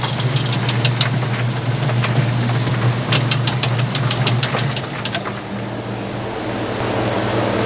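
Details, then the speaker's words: Speed Queen top-load laundromat washer spinning up: fast irregular ticking and slapping about three a second over low motor hum; drive belt going bad, to be removed before it ruins everything. "Here we go, spin. That's having some issues with that belt. See, that belt's going bad."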